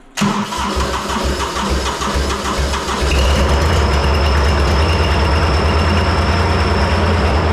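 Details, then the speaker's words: Three-cylinder Kubota diesel in a repowered 610 Melroe skid loader, after the ground wire to the backwards-wired fuel shutoff solenoid was cut. Cranks, catches and settles to a steady, even idle with a regular low beat; loud exhaust. Normal diesel start and idle. "well there you go stuff works a lot better when it's hooked up correctly"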